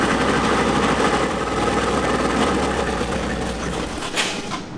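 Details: 1988 BMW E30 M3 left non-running nearly a decade. Uneven loping idle, fluttering beat around four a second that wanders and sags. Rough running; fuel pressure suspected, a fuel leak then found.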